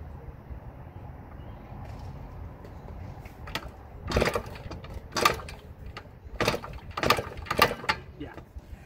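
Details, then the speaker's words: 1977 Yamaha GT80 two-stroke, first start in 20+ years, kicked over: pops unevenly with irregular rev bursts and lulls, running rough; owner says the carburetor needs cleaning. "see if she'll kick one more time I like to hear the st. definitely needs a clear"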